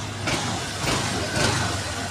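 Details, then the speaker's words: Honda Click 125 v2 scooter after replacing a faulty fuel pump that caused no-start and drained the battery: steady, even idle with no misses or knocks, charging voltage 13.5. "So ngayon okay na yung voltage niya. Ayan 13.5 RPM. So umaandar to."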